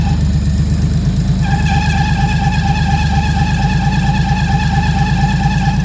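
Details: Freshly built 400hp RB25 turbo Nissan S13 on Power FC, just warmed up, first runs: thin steady squeal over an even idle, holding pitch; source unknown, owners unsure if it is just warm-up.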